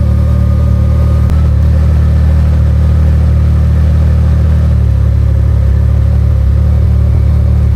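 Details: Can-Am Maverick R with Evolution Powersports flex fuel system installed, running while E85 is added to tank of 91 octane (ethanol reading rising from 15% toward 80%): deep, steady engine note with no sputter, surging or misfire; runs smooth.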